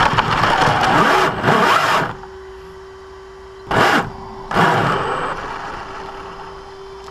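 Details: Brand-new Basher Nitro Circus 4x4 1/10 RC truck on 3S 4000mAh battery: harsh rasping grind bursts each forward pull with thin motor whine between; only under acceleration on ground, not reverse or lifted; gear mesh adjusted, unresolved.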